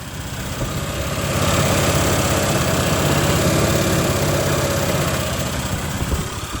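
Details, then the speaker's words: 1981 Westwood Gazelle W11 ride-on mower, tired engine with low compression, started after winter storage with cleaned plug and fuel in carb: steady, even putter around 200 beats a minute with no misses. Normal running. "it runs let's try that again keep keep taking the choke off too fast so that seems to be running fine"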